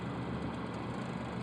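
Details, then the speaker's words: Hawker 800XP business jet on a suspected post-maintenance stall check: loud, steady low buzzing rattle of the stall warning stick shaker over engine and airflow roar, with the nose held well up before an abrupt stall. "You'll hear the stall warning stick shaker in a second. And then you'll see the right. There we go. Stick shaker"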